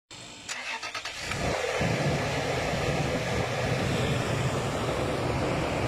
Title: bad fuel pump regulator